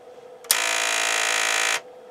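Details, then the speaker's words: Sony TC-K80ii cassette deck, returned under warranty with an intermittent fault: a sudden harsh, steady buzz of about a second that cuts off clean after moving wires; suspected bad power supply or a loose, unconnected board connector, not confirmed. "on so all I did was move some wires around no tape eery okay that is really weird sounds like we might have a bum power supply"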